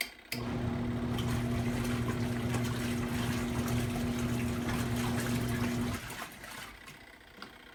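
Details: Twin-tub portable washer's spinner side spinning out water: steady even hum with clear low tone for six seconds, then winding down; spin drum running smoothly.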